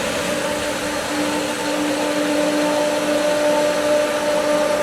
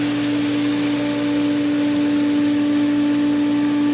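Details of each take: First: Pool pump with skimmer valves being opened after winterizing: steady electric whine that wavers and churns as air pulls through the suction line; pump struggling to hold prime and should recatch. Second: Pool pump after opening the skimmers, with air in the winterized lines: steady, even hum with one clean tone and no gurgling or surging; the pump has regained prime and is running normally.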